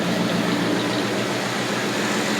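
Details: 1980 Lincoln Continental V8 idling after replacement of the ignition coil and starter solenoid for a no-start, with spark plugs recently replaced: an even, steady idle with a smooth low rumble and no misses or stumbles; it runs clean.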